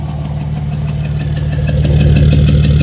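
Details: 2007 Dodge Ram 5.9 Cummins diesel idling roughly with uneven pulsing beat about three times a second; started a month ago, intermittent fuel rail pressure sensor, MAP sensor and overboost codes; owner asks if excessive blow-by, exhaust sound also odd.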